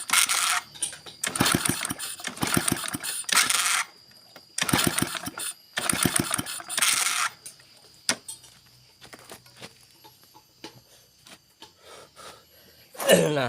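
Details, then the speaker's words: Honda Supra motorbike: repeated kicks give short mechanical clatter bursts but the engine never turns over or fires; clutch lining not slipping, slip found in kick-start drive where bowl turns but shaft doesn't. "you crank it, you can see that the clutch lining doesn't slip, but it turns out that's the case. the slippage in the double pad section, the bowl is turning but the ask section doesn't rotate,"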